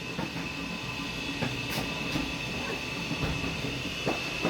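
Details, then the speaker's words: Yamaha G29 golf cart, about 2017-18, said to need a controller and motor, pack reading about 40-41 V with weak batteries: steady high-pitched motor whine under cart rattles and clicks as it moves; the controller and drive motor work fine. "but I think she'll move looks like the controller is just fine"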